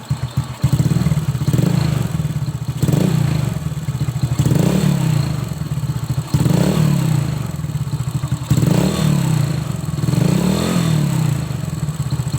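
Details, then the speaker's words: Old Honda Supra X motorcycle after valve clearance adjustment: revved gently, quiet even beat with only a faint tick left, possibly slightly worn valve tip or rocker; much smoother than before. "Kita coba tes dulu setelah penyetelan klep selesai. Ini sudah tidak seperti tadi ya sebelum penyetelan klep."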